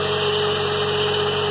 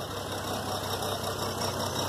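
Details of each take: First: 2003 GMC Envoy 4.2 V6 after replacing bad coil pack and all spark plugs: steady even idle, smooth hum, no stumble; misfire gone, good power. Normal idle. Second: 2003 GMC Envoy 4.2 V6, engine just started after cooling down, uneven stumbling idle with an irregular beat; a sudden terrible misfire after an exhaust manifold replacement, traced to a bad coil pack.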